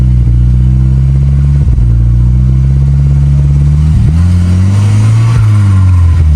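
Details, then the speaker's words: Volvo 245 turbo wagon, redblock B230, M47 manual gearbox, driving in fifth gear: steady low drone with a growl rising and falling with road speed; worn M47 transmission. "that's fifth gear right there that's uh that's what a bad m47 sounds like so that's neat"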